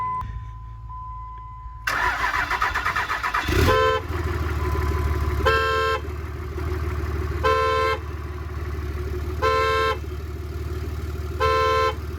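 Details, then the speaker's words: Diesel pickup after long storage, new batteries, transmission removed, neutral safety switch bypassed: engine cranks, catches and runs loud and steady with no knocks over periodic beeps; oil pressure seen, no blow-by, healthy. "okay so we know the engine runs and apparently runs pretty good man doesn't sound bad at all no blow by so that's good"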